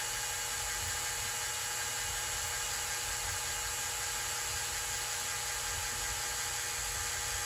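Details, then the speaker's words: Kohler K321 engine, hand lapping a valve on a hardened Stellite seat with coarse compound after fine compound cut too slowly; steady high gritty hiss with faint whir as compound bites in, giving a better witness line. "so I'm going to try the course now and see if I get a little better result with that should cuz it's a lot coarser of a grit yeah you can hear it you definitely hear it cutting in"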